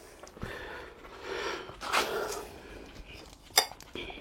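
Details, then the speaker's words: Old clutch release bearing removed from a Renault Twingo 1 during clutch replacement: a loose metallic clatter in uneven bursts as it is shaken by hand. The new bearing makes no noise. Worn release bearing. "c'est vieille buté voilà buté neuve zéro bruit celleellà même quand la secou elle fait du bruit"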